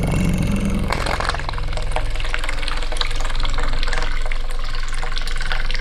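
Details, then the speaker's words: Excavator electric fuel pump, removed and powered on the bench after a suspect setup with intake joined to outlet: brief low electric hum, then a steady rushing, splashing flow. The pump works perfectly; normal running. "let's get that off and see what happens if we power it it sounds like it's working"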